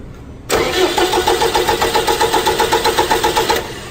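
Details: 4.4 common-rail engine disabled from starting, cranked during a voltage drop test at the terminal, reading about 0.27–0.28 V against a 0.3 V limit: strong, even cranking, about four turns a second for three seconds, no slowing or clicking; healthy starter.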